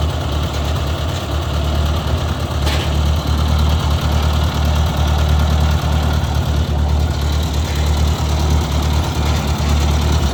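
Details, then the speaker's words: 1956 Ford 640 tractor restarted after fixing pinched oil pressure line, oil pressure now reading: steady, even low idle, no misses, knocks or compression issues; slightly smoky and running rich, carburetor needs adjusting. "but it sounds like it's running really good guys I don't hear any uh compression issues or anything like that it's a little smoky um I think part of that though is just fuel so we're gonna need to adjust the carburetor that'll be the next step"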